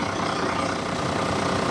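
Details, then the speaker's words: 2000 Toyota Land Cruiser VX100, idling just after start-up: a steady, even idle with no knocks, ticks or misses over the engine hum. Normal, healthy idle. "Buat mendengarkan suara gurih mesinnya kayak apa, pengen tahu? Kita langsung starter agar teman-teman bisa lebih dekat dengan suara kegurihan dari mobil mesin Land Cruiser"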